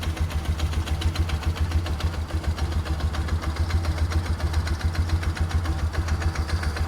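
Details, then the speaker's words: 2004 Polaris Ranger 6x6 UTV: even, low thumping idle at about three and a half pulses a second, no more knocking; healthy idle, though it won't take upper RPM and the needle setting is suspected wrong. "Oh, she's idling good. That's a good sign."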